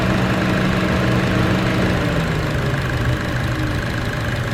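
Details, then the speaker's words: Chevrolet Cruze: deep, uneven growl at idle with A/C on, sometimes slight with A/C off, gone when driving off; located under the exhaust manifold. A/C compressor recently replaced, heat shield removed, exhaust clamps inspected; cause unknown. "When you turn the AC on, there's a growling noise, and that's only at idle, and then when I take off it's gone."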